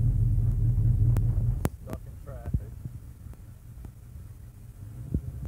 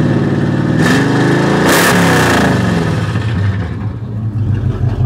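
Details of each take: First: Chevy C30 V8, warmed to about 210, accelerating on highway from about 35 toward 65–75: deep steady drone with uneven throb creeping in as it stumbles and loses pull; cause suspected, not confirmed. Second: Chevy C30, carbureted, mufflers cut off, at rest after new carburetor plug and timing adjustment: loud open-exhaust revs rising and settling cleanly, smooth with no misses or pops; normal revving unloaded.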